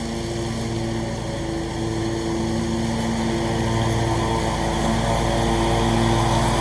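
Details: Scag mower with a brand-new Briggs & Stratton engine, blade belt reinstalled and blades engaged: steady, even drone with a firm low hum building slightly as the blades engage; normal running.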